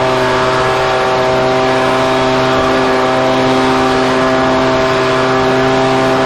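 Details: Husqvarna 125BV two-stroke leaf blower after clearing a blocked carburetor fuel passage and fitting a new filter: it holds a clean, steady high-pitched drone with no surging or sputter; running properly.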